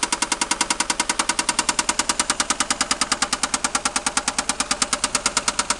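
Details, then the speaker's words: 1990 Toyota Supra, newly acquired, idling: crisp, even ticking about nine times a second from the top of the engine under the valve cover; suspected lifter, rod knock also questioned, not confirmed. "So you think it's at the bottom or the... No, it's right here under this thing. So it's probably a lifter?"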